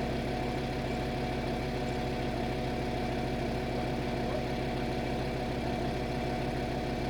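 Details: VW Touareg 7L 2.5 TDI R5 diesel after glow plug replacement: started instantly, no smoke; smooth, even diesel clatter holding a steady rhythm with no misses or knocks; healthy, settled idle.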